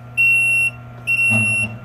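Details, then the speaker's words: Frymaster FMH222 electric fryer, right side: two long shrill beeps about half a second each over a faint hum, controller showing "Prob" code; the fault is a defective controller (computer), not the temperature probe. "the controller is energized but when i do this it goes for prob as you can see and exact the exact problem"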